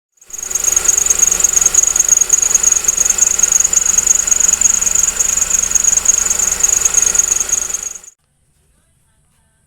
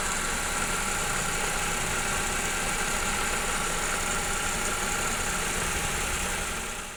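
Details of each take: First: Loud, piercing high squeal pulsing about three times a second from under the engine: a dry, worn belt tensioner bearing, temporarily quieted by removing the compressor belt and seal and regreasing it; replacement is the best fix. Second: Engine idling steady and even with a constant hum and no squeal or chirp from the belt side, after the noisy dry tensioner bearing was regreased and the compressor belt refitted and re-tensioned; the tensioner now runs quietly.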